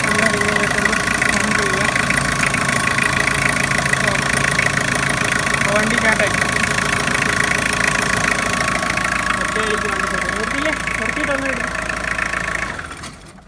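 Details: 2006 Tata Sumo Victa GX, 2.0 L Peugeot XD88 naturally aspirated indirect-injection diesel, 5-speed manual, after fix for starting problem, vibration and dead throttle: steady even idle with usual light clatter, no misfire or stumble; normal idle.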